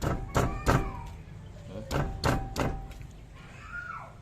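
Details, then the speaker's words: Long-stored Toyota Corolla with 2E engine, engine itself fine, rocked: heavy dull clunks in irregular bursts; diagnosed worn rack end, tie rods, ball joints and suspension bushings. "Ang naging diagnose ko dito, yung rack end, yung tie rod, ball joint, at saka yung suspension bushing. Grabe talagang kalampag to."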